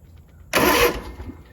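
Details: Zero-turn mower that only clicked, after replacing the starter solenoid: clean half-second starter whirr turning the engine with no clicking; starter working normally.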